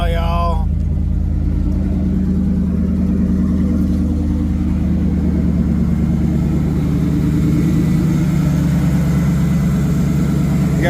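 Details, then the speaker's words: 1986 Ford Mustang GT Fox Body V8, warm, just after a restart: a deep, steady burble with a lumpy but even cam beat, no knocks or misses; normal idle. "Woohoo! She's a fire breather now,"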